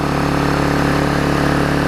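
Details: Old Vulcan 18-inch mower, rusted flywheel freed from magneto, new intake pipe fitted, bigger muffler: even fast two-stroke buzz at steady speed, no misses or surging; running cleanly.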